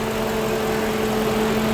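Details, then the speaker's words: Lincoln Town Car after replacing an electric radiator fan motor that wore out after 19 years and caused overheating; idling with temperature holding normal. Steady low hum and constant rush of air over an even idle; radiator fan running normally. "You hear the fan. This radiator hose ain't really that warm. It's holding right at normal. Boy, it's good to hear that fan going. Yeah, I haven't heard that for a while, guys."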